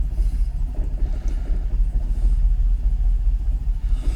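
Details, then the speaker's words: Jaguar XKR (X100) V8 on a cold morning, before the ECU hard reset: uneven idle that sags and stumbles near stalling when shifted into gear; revs recover in neutral. Rough idle sagging in gear, cause not yet found. "I don't think it's firing on all 8. Let's see what happens when I put it down into gear. I'm still revving. Going to cut out."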